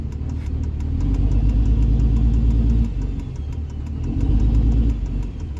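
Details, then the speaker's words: Diesel truck with no intake fitted; on light throttle irregular low pops and stumbles over a steady rumble, surging and dipping, gone under harder acceleration. Cause unconfirmed: misfire at light throttle. "if I give it a little bit of throttle that's kind of a Miss but if you're accelerating after that it goes away"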